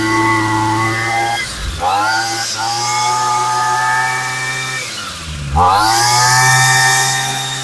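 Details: Homelite 26cc UT26CSEMC string trimmer after replacing fuel lines, fuel filter, carb diaphragm kit and fresh fuel: clean buzzing run climbing and dropping smoothly through two throttle blips, no stumble or bog; no-start fixed, running properly.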